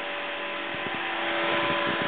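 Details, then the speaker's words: 6-inch fan run from a bench power supply (4 to 15.5 V, drawing about 1.2 to 1.3 A at higher settings). Steady airy whoosh, constant motor hum and faint flapping; runs smoothly and pushes a lot of air. "So it is pushing a lot of air."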